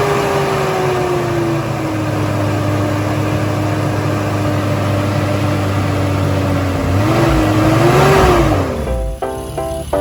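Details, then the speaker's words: 1986.5 Toyota Supra MK3 with 2JZ swap, next-day cold start after leaking fan clutch replaced, running a little rough: loud steady whooshing fan roar over uneven idle, fading as revs rise; healthy new fan clutch engaging cold. "all right I'm going to do a start this cold start the next day just to let you know know what the fan should sound like when you start"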